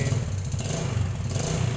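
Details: Yamaha Jupiter Z new motorcycle, a month after oversize piston, cam chain and valve replacement, checked with stethoscope at idle: light, fast ticking ("gemericik") over low hum, from worn valve adjusters and rockers.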